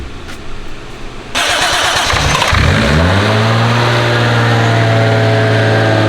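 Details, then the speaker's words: JZ-swapped turbo BMW, first start after fresh oil: cranks briefly, catches right away and settles into a steady, even idle with a thin turbo whistle on top; healthy start. "I'll fix that you hear that TBO that first start it did start right up though I'll give him that you hear that turbo whistle yes it's crazy isn't it that sounds so freaking cool dude"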